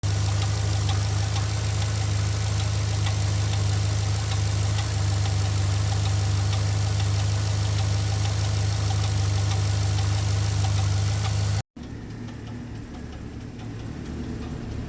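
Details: Pontiac G8 V8 at idle after GM DOD (displacement on demand) system failure: steady low drone with light quick lifter tick, about four a second; a new oil pump was also needed, DOD delete planned.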